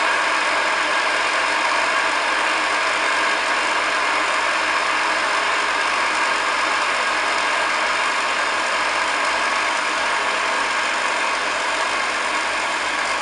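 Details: Restored pre-war 1929 Hoover Model 725 vacuum with new belt, brushes and cable, made electrically safe: steady, even high-pitched whoosh and motor whir, no rattles, scraping or speed changes; running normally.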